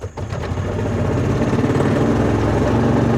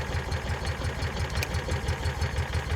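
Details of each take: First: 2004 Kawasaki Mule 3010 petrol twin, unrun six or seven months, after new fuel pump and carburetor: uneven, lumpy loping idle, running on one cylinder as before; owner checks the coils, having pulled one coil power wire off during rewiring. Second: 2004 Kawasaki Mule 3010 petrol engine after fuel pump and carburetor replacement and fuel line refit, test start: even, quick low thumping idle about six beats a second, steady and unbroken; running cleanly, normal idle.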